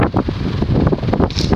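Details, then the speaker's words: Casablanca Wailea ceiling fan from 2006 with snow white wicker (rattan) blades, 153x20mm motor, 25-degree blade pitch, 31.25" span, on high: a soft, even rush of air like a natural breeze, no rubbing, clicking or wobble; normal running. "Let's go to high. Sounds like a gentle breeze, actually."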